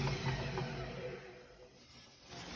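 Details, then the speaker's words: Hotpoint Ariston WMUF 5050 washing machine after tightening the loose drum bearing/hub part with a wrench: drum coasts with a low steady hum and the knocking is gone. Owner expects it to loosen again in two to three months. "Всё, этого стука нет. Единственное, я знаю, что мне, например, этого хватит на месяца два-три, потом он опять разболтается."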